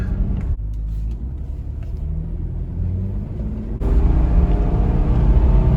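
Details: 1999 Infiniti QX4 (Pathfinder) at 190k+ miles, after replacing both front CV axles: smooth engine and road rumble while pulling away and gaining speed, with no clicking or clunking from the front end. It sounds healthy.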